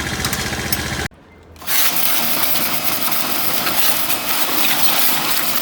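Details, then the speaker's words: Apache Alfa motorcycle at 764 km, whose sound changed after the kick-start was pressed while putting it on the centre stand with the engine running: after adjustment it drops out briefly, then catches and runs steadily and evenly, with no problem. "Çok sağ ol güzel çalışıyor şimdi böyle bir sıkıntı yok ki"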